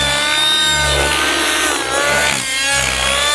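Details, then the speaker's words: Synergy N5 nitro RC helicopter in flight before going lean: a high, steady engine scream with slight rises and dips, running normally with a good smoke trail. "and my helicopter is flying great my running lean good smoke trail you can hear it"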